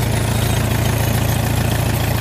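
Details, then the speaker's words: Farmall tractor idling smoothly with a steady, even low thump and no misses, knocks or rattles, started after refilling fuel and checking fuel flow through the petcock, filters and bowl to the carburetor; normal idle. "Alright, so the tractor's running. Sounds smooth, sounds good."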